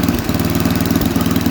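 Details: Snapper 8 hp 26-inch snowblower with the auger working and a burning-mice smell, plenty of cooling airflow: a steady, even single-cylinder chug at fast idle with no knocks; normal running, before an oil change.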